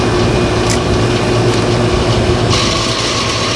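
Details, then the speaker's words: A/C condenser fan motor after oiling with 3-in-1 oil, noise returned minutes later: steady hum with harsh raspy grinding and screech; owner suspects worn motor shaft or imbalance, motor later replaced as oil fix lasted only weeks. "yeah there it is right there yeah it's just bad um you can see if I wiggle the unit a little bit that shaft I think is just worn out and making too much noise"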